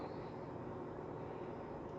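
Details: LG WD13BVC2S6C washer-dryer at high spin, 700–750 rpm and rising, with a small cloth damping the drain pump noise: soft steady whoosh and hum, no knocking or grinding. Quiet, healthy spin.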